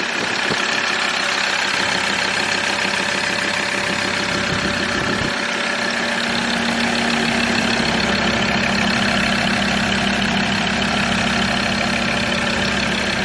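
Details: Ford Ranger T6 diesel idling after an EGR cooler bypass and blank, being checked for exhaust leaks: an even diesel clatter with no misses, hiss or puffing; healthy idle, no leak heard.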